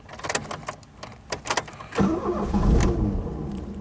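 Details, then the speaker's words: 1982–83 Ford Escort Mk3 1.3L on a scorching day: auto choke cut out early and the starter stuck. Sharp knocks and rattles as the starter motor is smacked with a bicycle pump, then the engine catches and settles into a steady run. "That's just amazing. There we go. Smacking the starter motor with a bicycle pump worked a treat."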